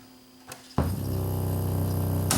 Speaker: Motorboating and rewind. That may be a record play switch that's dirty.